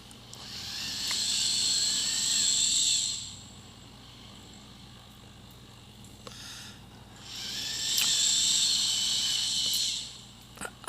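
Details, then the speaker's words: Robot servo motors rotating the mid stomach joint after assembly with greased contact points: two clean bursts of high servo whine each way, no squeaking or plastic cracking; normal servo operation. "you can hear the servo motors but i really didn't hear any squeaking crack of the plastic moving on anything so i think the all my grease points kind of help that noise"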